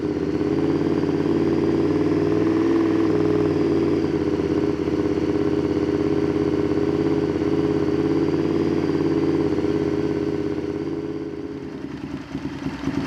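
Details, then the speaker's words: Honda VTR Firestorm V-twin idling after carb/idle adjustment: lumpy, slightly wavering beat that never evens out; running better but still not right, cause not pinned down. "so the firestorm is running better but it's not quite right so we're going to leave it there for now"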